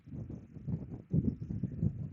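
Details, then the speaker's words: 2005 VW Beetle, previously a crank no-start, after swapping relays and charging the low battery: low even rumble at idle with no knocks or misses; the engine now runs. "I did charge the battery because it was low, and the car is running. So, guys, as you can see now, my assumption, my theory was perfect. We have an engine running."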